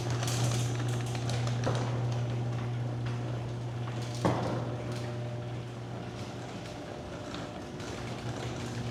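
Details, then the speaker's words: Garage door opener after lubricating every metal contact point, mic on the emergency release cord: steady low motor hum, soft chain ticking, no squeaks or binding, significantly quieter than before maintenance. "Okay. Well, I'm going to be honest. That was significantly quieter than before we did the maintenance. We were probably overdue by a little bit on it."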